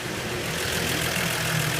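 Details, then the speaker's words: 1961 Chevy truck idling after spark plug replacement: steady, even idle with a smooth low rumble and no misses or knocks. Now starts easily without choke or throttle; sounds little different at idle but pulls much better on the road. "running great I mean I couldn't be happier it's running a lot better I mean out of the same it don't sound much different idling"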